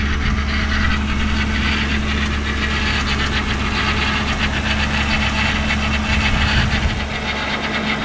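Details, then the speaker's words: Idle just after a restart to top up low power steering fluid: fast light ticking about three or four per second over a steady idle; it stopped after a few times, cause unknown. "different. I hear like a ticking sound. It's like tick, tick, tick, tick, tick, tick."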